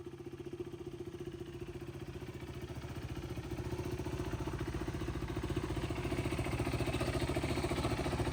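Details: 2015 BS3 KTM RC 390, second owner, about 9,000 km, no oil leaks: crisp, evenly spaced single-cylinder beats climbing as revs build, with no rattle or knock. Clean, healthy engine.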